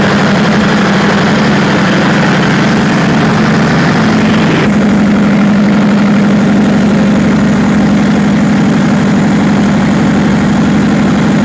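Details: Perkins 4012 diesel after general overhaul with added pre-lubrication pump, start before load testing: heavy, even rumble with steady low drone about four beats a second, no knocks; running smoothly.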